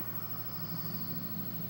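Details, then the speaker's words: Repaired Xbox 360 that previously wouldn't open or read discs: steady low drone of spinning disc and fan with no catches or grinding after the disc reads; loud but normal for this console. "it says play game pops up you hear that oh the loud xbox 360."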